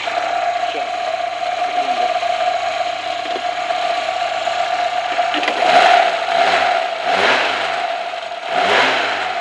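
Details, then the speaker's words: Lada (Zhiguli) engine heard through a listening stick held to the microphone: light metallic chatter swelling with each throttle blip; owner says the chain always rattles here, a slightly worn, rattling timing chain. "На Жигулях на моих вечно тут цепь [музыка] тарахтит. О, немножко цепьторах."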